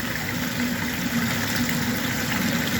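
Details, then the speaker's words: Wayne 1.5 hp submersible sump pump maxed out in a floodplain crawl space, running continuously without the switch cycling, believed to be about 3,800 gal/h up a 2-inch pipe with a check valve. Steady, even hum with rushing water; working normally. "And I believe that's 3,800 gallons an hour, which is considerable. It's hard to even believe. Like, that sounds a huge amount, but I'm guessing that continuously."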